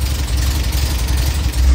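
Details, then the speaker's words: 1966 MG MGB, long-stored, after starter replacement and carb cleaning: even, low steady idle rumble with no misses, knocks or stumbles, no heavy exhaust smoke or fuel leaks; engine running smoothly. "again there we go it's running on gas now"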